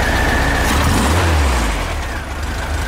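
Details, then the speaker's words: VW Type 3 engine after reinstall with 034 SVDA Pertronix distributor replacing the 009, vacuum line not yet connected, timing roughly set: steady, even idle with regular beat and no misses, sounding much better; normal idle. "okay let's get our ignition timing set on it see what happens actually that sounds so much better already and I haven't even hooked up the vacuum cord on it"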